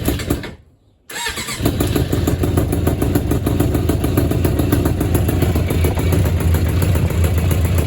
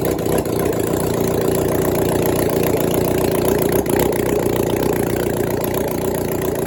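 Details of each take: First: 1996 Suzuki GSX600F after engine swap, cold start without choke, carburetors still set for the weaker previous engine. Catches straight away after a quiet gap, then settles into a lumpy, deep idle with a slightly odd noise; running rich, enough fuel without choke. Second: 1996 Suzuki GSX600F after an engine swap, carbs hooked up to the tank, restarted after a short first run. Catches quickly and settles into a steady, even idle with a smooth rapid beat, no misses or knocks: healthy idle.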